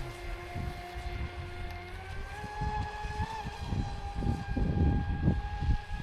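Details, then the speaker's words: Traxxas Spartan SR RC boat on 6S, second run after second repair (servo mount replaced, hull bottom repaired); clean motor whine climbing with throttle over splash, earlier crackling noise gone; normal running. "C'est impeccable. Ouais, au moins, il y a plus le bruit de craque crac."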